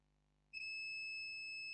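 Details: HP Pavilion G6 laptop with no display and three beeps, checking motherboard capacitors with a meter: quiet, then a sudden steady continuity beep that holds. The capacitor is shorted.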